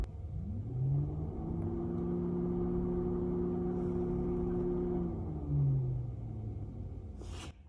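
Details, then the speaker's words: Engine cooling fan commanded on through a MuCar 892BT scan tool actuator test with the engine off: low hum spins up within a second, holds a steady even pitch, then winds down; no rubbing or grinding, normal operation. "So control the cooling fan. Let's try it. So I highlighted it. Let's shut off the engine. You might hear it a little bit"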